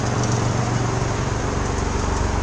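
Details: Geo Metro LSi automatic with new exhaust system, idling: steady low putter with an even beat, no ticks, knocks or exhaust leaks; small engine idling normally, muffler vibrating but isolated by proper grommets.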